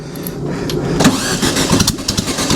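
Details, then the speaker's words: Home-built dune buggy first start with no exhaust, after clearing a plugged fuel line and refitting the coil wire: cranks and sputters unevenly before catching and running roughly; likely too much fuel. "I got plenty of fuel in it probably too much come on baby find it I know you got too much fuel"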